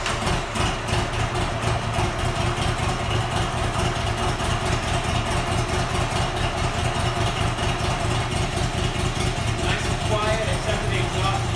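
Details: Buell XB12R V-twin after rebuild, about 100 miles since, no check engine or oil pressure lights: even, lumpy idle holding steady speed with no knocks or rattles; engine runs healthy.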